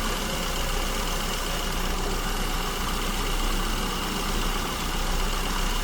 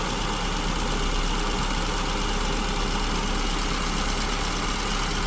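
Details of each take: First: SU-carburettor car at idle, tuning mixture with tachometer, vacuum gauge and wideband (lambda about 1.09–1.10): steady idle with a slightly uneven, hunting beat, no knocks; mixture too lean, being richened toward the first stable idle point. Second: SU-carburetted engine at idle while the mixture is richened from lean (lambda 1.09–1.10), set with tachometer, vacuum gauge and wideband: steady low even rumble without misses or hunting as the idle smooths, vacuum needle stabilizing around 15 inches.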